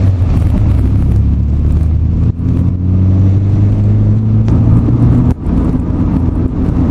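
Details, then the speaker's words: Nissan 240SX S14 with hard polyurethane bushings, cruising: a heavy, steady low drone with little engine note on top; excessive cabin road noise that tires the ears. "So while it's not deafening or overpowering, after about 30 to 40 minutes of this, your ears get a little tired."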